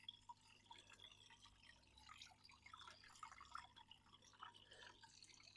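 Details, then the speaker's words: DIY bucket filter for hot tub, pump water dropping through filter pad and towel, floss cover over top dampening the sound: only soft trickle and light dripping, very quiet, no pump noise; filter flowing normally. "So it has to go through the filter pad and the towel to clean itself. And it also makes it a lot quieter if you put this on."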